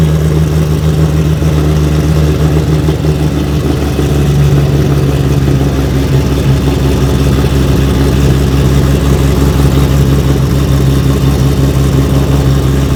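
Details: Nissan R32 GT-R, 3.4L RB on MoTeC, just after its first start, with big rear mufflers. A deep, steady idle with an even low thrum and no knocks or ticks, charging at 14.9 volts; it runs smoothly and healthy.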